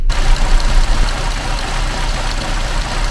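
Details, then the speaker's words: Vauxhall Tigra 1.4 petrol idling with a rough, uneven chug and loping beats before the fix; cleaning the throttle body, MAF and O2 sensor cured it, after a possible wrong-cylinder part change. "that's what I mean by the Chug that's better clean the throttle body clean the math clean the O2 sensor and now it's running sweet as a nut easy as simple fix good old [Music] voxel sh"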